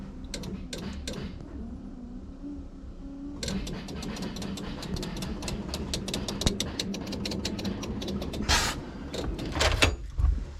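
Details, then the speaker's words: LS-swapped Nissan 350Z after a new harness install, key on to prime the fuel pump, engine off: fast irregular clicking bursts over a faint hum, no start; relay chatter. Owner suspects a jump start damaged things, and a replacement IPDM made no difference. "then i went to put the key in to turn it on to make sure the fuel pump primed and let me show you what i found ah man am i over this no good has come out of anything i got some wack-ass noise down here look at this"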